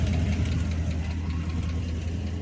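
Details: Chrysler 300 SRT8 6.4 Hemi V8 at idle, heard outside near passenger side: fast light tick over steady deep idle, appeared suddenly despite good oil pressure; owner unsure whether lifters or exhaust leak, exhaust also rattling.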